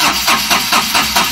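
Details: Ashok Leyland Dost BS4 diesel with Bosch EDC17 ECU: steady cranking at about five compression pulses a second never catches or fires. The sensor signal stays at 0.5 V instead of rising toward 0.9 V during cranking; crank no start.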